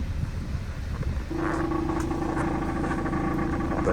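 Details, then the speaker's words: 2015 Subaru Forester at idle: a loud, uneven putt-putt from the tailpipe with a deep rumble, from a bad muffler due to be replaced with a Walker Quiet-Flow. "okay so here's my Subaru Forester Muffler problem it sounds like down here and here it's pretty loud just kind of putts putts putts that's what a bad muffler sounds like and that's what I'm gonna change out"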